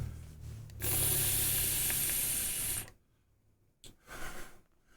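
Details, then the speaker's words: DOVPO BPmods Bushido V3 RDA with checkmark airflow, restricted direct lung draw: wet bubbling hiss for about two seconds as juice above the airflow inlet gurgles, no leaking. "You can hear the airflow gurgling because the level of the juice is above where the airflow comes in."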